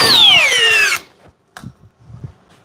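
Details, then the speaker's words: Metabo HPT drill on battery, in high speed and drill mode for maximum torque, driving the same lag screw. Whine sags as the screw bites, then cuts out within a second: overload protection tripped and it can't sink the screw. "this time we used a battery on it overload protection right there there so it cannot sink it either way in high torque"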